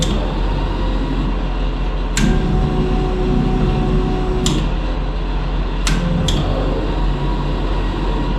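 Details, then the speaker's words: RV rebuild electrical testing, 10 amp fuse in, wiper on low after high reset: steady low droning hum with sharp clicks; wiper motor sounds weird, cause unclear. "There's low. That's sounding freaking weird though."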